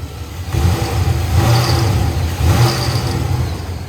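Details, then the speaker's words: V8, after fixing a long-running belt chirp traced to a bent bell housing and pulley: it revs and settles cleanly with no chirp or belt slap, leaving only a faint high squeak on the rev. "still got a little squeak but I can handle that a lot more than I can handle that chirping stuff"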